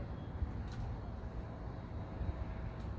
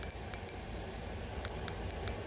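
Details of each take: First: 2006 Ducati Monster S2R 800, first start in many years after fuel pump replacement: V-twin catches and runs rough and lumpy on the rear cylinder only; front cylinder not firing, suspected clogged injector, possibly air in lines. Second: 2006 Ducati Monster STR 800 fuel injector, previously stuck closed, after hours soaking in parts cleaner and blowing out with compressed air and carb cleaner, now clicks crisply as it opens each time energized, normal injector operation.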